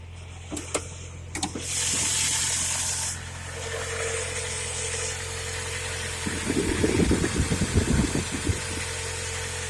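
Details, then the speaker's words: UAZ Patriot ZMZ-409 engine just after a cold start, still at warm-up idle: steady low idle hum with a short rattle burst but no regular knock yet; the knock begins suddenly about a minute after starting. "Точнее, как не стучит при запуске, а потом начинает стучать. Совершенно стука никакого нет."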